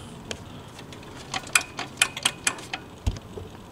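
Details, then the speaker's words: Brand-new Quantum 4Front powerchair: sharp, uneven clicks about two per second when the stopped chair is rocked, showing much movement; owner blames loosely assembled parts. "again this is a brand new chair and look how much movement we have when it stopped you hear that clicking"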